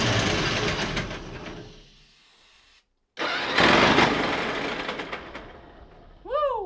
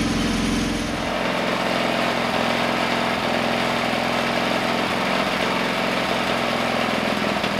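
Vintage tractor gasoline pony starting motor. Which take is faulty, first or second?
first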